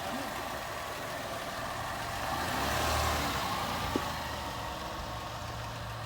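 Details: 2011 Ford Escape with 125,000 miles driving after welding a cracked forward muffler pipe and rotted hangers: steady low engine drone and road hum from inside the car, no rasp, puffing or buzzing; exhaust leak fixed.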